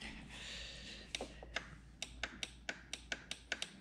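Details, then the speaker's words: Neato Botvac D7 robot vacuum throwing a bumper error: about a dozen crisp clicks at irregular gaps as the bumper switches are pressed by hand, one needing a hard push to click; normal bumper switch click. "you can hear that switch you can hear that one that's the side one and i have to really push hard on this one to get it to click"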